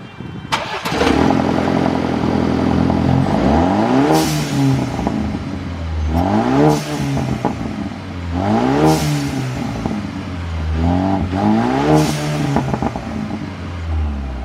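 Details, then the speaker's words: 2020 Ford Ranger, first start after replacing all four spark plugs at 40,000 miles; the old plugs were all fairly dirty. A brief crank, a clean catch, then several even revs rising and falling with no stumble or miss: normal start-up. "We're gonna go ahead and start it up now, and I want you to hear it fire up the first time, so we'll do that together."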